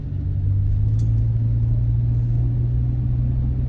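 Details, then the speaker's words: Van with repaired 400 engine, on Rotella T6 40-weight oil after repair; driving under load, steady deep even drone, no knocks or misses, running amazing. "this this is this is great look this thing is running amazing"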